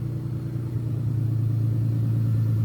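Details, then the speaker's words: J35 V6 sandrail with 3 bad injectors found, old fuel and no coolant in the engine. Steady drone climbs smoothly as revs build with even firing; running on all 6 cylinders. "Oh, much better. Sounds like she's running on all 6."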